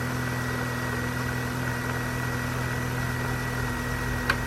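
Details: 2001 Vauxhall Corsa C 1.4 16V petrol idling steadily just after a cold start with an even hum and no ticking; the ticking starts after 5–10 minutes and grows louder as the engine gets hotter.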